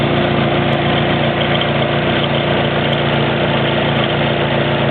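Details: Stretched timing chain slapping its guides on a PNW10 SR20DET-converted Australian-spec N15 Pulsar sedan at idle: busy, rattly clatter under a steady hum, present about 7,000 km and getting louder and more frequent.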